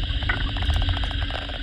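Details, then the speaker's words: Toyota Previa, raised on lift, electronic stethoscope clipped on steering rack assembly: rapid regular light tapping over low hum, chassis noise; pinion previously replaced, rack suspected as source. "这里有明显的声音，这是来自底盘的。那我们再放红色的，也有声音。目前这些颜色都是针对方向机总成的接线来做测试，一样有明显的声音。"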